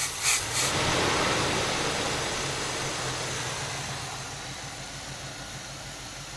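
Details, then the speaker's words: 1978 Oldsmobile Cutlass with 403 V8, cold just after starting, before warm-up: even, steady rumble with no knocks or misses; runs on all eight, smooth normal cold idle. "right well I'm going to let this thing warm up and then I'm going to take it up and down the street"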